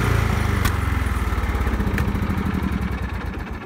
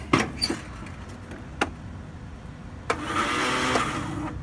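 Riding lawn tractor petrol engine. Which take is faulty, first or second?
second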